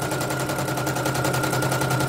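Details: Serviced embroidery machine, previously jamming with skipping bobbin-case hook; test-stitching lettering: fast even clatter about ten stitches a second over steady hum, rhythm unbroken; stitching normally. Renewed jamming would indicate worn dynamo shaft.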